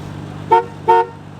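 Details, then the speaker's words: 1973 Dodge Dart Swinger horn, pressed hard toward the outside: two short, clear honks about a third of a second apart. Horn works. "does the horn work try it it's on the outsides got to push hard towards the outside there you go hey the horn even works"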